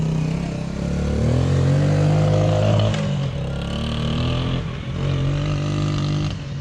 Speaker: Alright, it's all done. It goes pretty good for a little 80cc. Fully rebuilt, all ready to go.